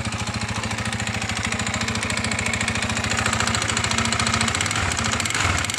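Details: Irbis TTR250 bike, bought non-running: sharp, hard, metallic knock on every firing stroke over the idle. Piston knock.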